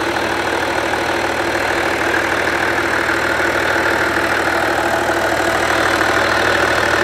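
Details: Skoda Superb Mk1 2.5 TDI V6 diesel, unused since March 2020, idling after a new boost pipe was fitted to the intercooler; the old burst pipe had caused black soot. Steady even clatter about three beats per second, no hunting or misfire; normal idle.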